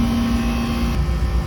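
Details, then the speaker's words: R22 heat pump/AC unit drawing 19 amps total, within range, with a beer-can-cold suction line: a steady low compressor hum and even fan drone, with no buzzing, chatter or clicking. Normal running. "I'd say we're well within range. Suction line's beer can cold."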